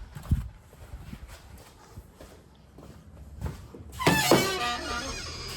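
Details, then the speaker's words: Car boot lid hinges creaking with a squeaky rising and falling groan as the lid swings, before lubrication; spraying WD-40 on the hinge moving parts stopped the noise. Dry boot hinge creak. "ये आवाज़ आ रही है ना, जो ये आवाज़ खत्म हो जाएगी।"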